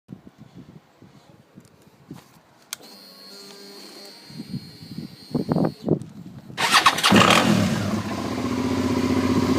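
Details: 2009 Suzuki SV650 Sport V-twin starting and idling evenly with no knock; at higher revs it develops a metal-on-metal knocking, tensioner checked fine, oil was found very low.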